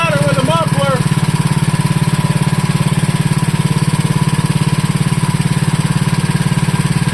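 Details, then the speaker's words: Wisconsin Model AB single-cylinder engine running on fuel from its tank after clearing a flooded start, muffler added: steady, even thump about 3.5 beats a second, no misses or knocks; sweet running, fuel system still to be gone through. "That's a pretty sweet running engine right there."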